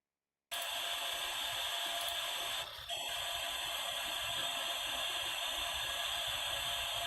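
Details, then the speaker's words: Power Mac 7100 AV with SCSI hard drive that never finishes booting: constant high hiss with a thin steady tone from the speaker while startup hangs; cause unknown, possibly the very slow loading. "It's the speaker, and I don't know why. So obviously it's dead. But the speaker it was doing that noise, and I don't know why."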